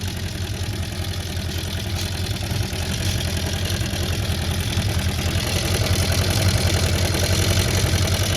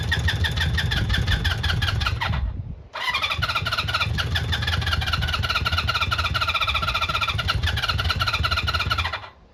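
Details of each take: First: Honda CB400F Four restoration, off road since 1983, first start: steady even exhaust pulse at idle, running on all four cylinders; slight tappiness suspected from unadjusted cam/timing chain, airbox not fitted properly, electronic ignition. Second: Honda CB400F Super Sport, off the road since 1983, after resetting ignition timing that was well out, choke on: starter whirs in fast bursts with a few weak coughs but won't run; badly flooded.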